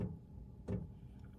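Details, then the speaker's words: Wippro diesel heater in a van, just switched on by remote as it warms up: soft regular ticks roughly every 0.7 seconds over a quiet low hum; the fuel pump priming normally on startup before heat comes out. "That's it priming for the heat coming out."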